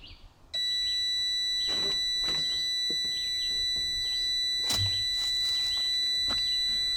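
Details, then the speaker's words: Evinrude 150 XP outboard, sat abandoned, no spark, multimeter continuity test of kill switch circuit: steady high-pitched beep stops when key is turned off; kill circuit works normally on both sides. "All right, so I'm gonna turn the key and the beeping's gonna stop. You hear it beeping? Turn the key, off. Turn the key, off. That's what I was doing. turn the key, off. So the kill switch circuit works fine."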